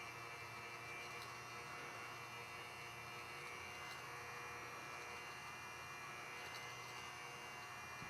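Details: Older Babe's E-Spinner electric spinning wheel after speed adjustment, oiling and setup, speed bumped slightly higher for more twist: smooth, even electric hum with a light whir, steady pitch; motor runs normally.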